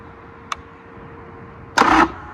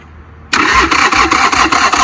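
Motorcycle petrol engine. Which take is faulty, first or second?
first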